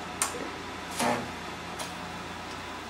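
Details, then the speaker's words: 2002 Sony Trinitron KV-24FS100 CRT TV, trash-picked after being soaked and dried overnight, first power-on: sharp crackles and ticks as the tube charges, with high voltage present and the LED blinking; the set powers up normally. "sounds like we got high voltage. Our LED's blinking."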